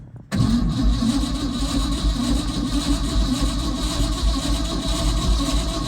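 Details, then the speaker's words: Old Ford F100 bought sight unseen, weak battery now with jumper/booster connected: starter spins engine briskly and evenly, steady churning rhythm, no slowing between compressions; cranking clearly faster. "Definitely turning faster."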